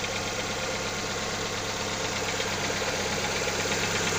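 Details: Lada XRay engine idling cold: steady, light metallic knock, about three per second, over the engine; owner asks what is knocking, source unidentified.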